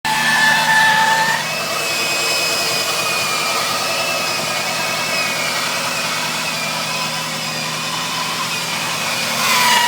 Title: Wj overland screeching noise on idle